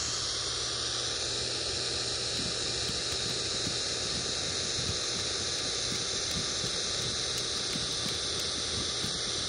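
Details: Ford Zenith 6-volt positive-ground tube car radio on the bench with the vibrator running, tuned at 1 MHz (IF 262 kHz): steady loud hiss and thin high squeal with no station. Converter stage suspected not oscillating. Radio hiss and squeal.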